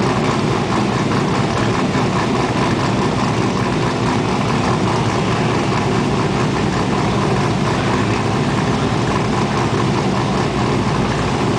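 Deep, even V8 idle with a rhythmic choppy lope from the big cam; it's running smooth and healthy.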